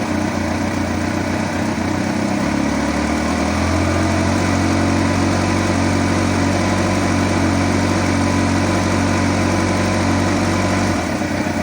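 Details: 2008 Kawasaki ZX14 idling, with a light, quick ticking of about four a second riding over the steady engine hum.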